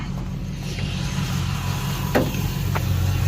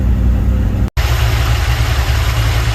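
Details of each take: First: Sweptline truck V8 with a vacuum-secondary Holley carburetor, started after the carb repair: steady fast idle that stays up without throttle, because the throttle return spring was left unhooked; reconnecting it fixed the idle. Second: Sweptline truck with a rebuilt vacuum-secondary Holley carburetor, warming up: steady deep V8 idle around 800–900 rpm, low but stable with no hunting or stalling, a clear improvement over before.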